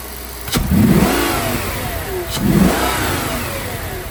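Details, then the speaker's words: Audi D3 S8 with V10 after misfire and oil-leak repair (valve cover gaskets, coil packs, plugs), on a freeway-speed pull: two strong pulls with smoothly rising pitch and no stutter; normal acceleration. "the throttle response honestly feels so good. Now, let's let's take a listen real quick."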